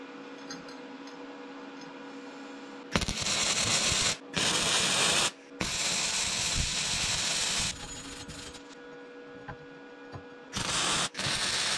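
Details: Vevor MIG-250 welding with gas-shielded MIG wire: short runs of steady, even frying crackle a few seconds long with quiet gaps; a clean weld, with voltage noted as slightly high.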